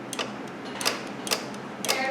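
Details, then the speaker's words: Chevy 2500HD Duramax with A/C not working: four sharp dry clicks as compressor clutch engages when power applied at fuse 16, proving fuse and wiring to compressor good. "If we apply power to it, it should click the compressor."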